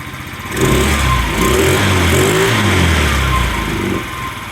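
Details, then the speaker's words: Scrap-yard Chinese scooter, air cleaner off, blips up from a lumpy, wavering idle; rough idle that the owner plans to fix by adjusting the carburetor. "oh yeah actually she idles doesn't idle smoothly like I like it to but I'll tune that up a little bit adjust that carburetor a bit well"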